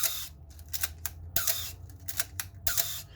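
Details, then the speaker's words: Canon AE-1 Program film SLR fired several times: each release has a sharp clack with a short falling squeak trailing it, the shutter moving slowly; common shutter squeak in old Canon SLRs. "so first identify the first squeak sounds like this"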